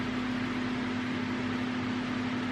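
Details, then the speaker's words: 2015 GMC Acadia 3.6 with hard start and stalling, cold engine, A/C off: loud steady cooling fan roar on high with constant hum; faulty engine coolant temperature sensor commanding fan, sensor to be replaced. "So the fan's kicked on already, and the car's cold. I mean, 100 degrees. The air conditioning's not on, so there really isn't a reason why the fan should be kicking on already."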